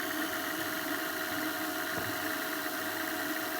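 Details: Repaired JVC DR-MV79B DVD recorder/VCR combo on fast rewind, left to auto stop: an even high-pitched whir holds steady with no grinding or ticking, a healthy tape transport.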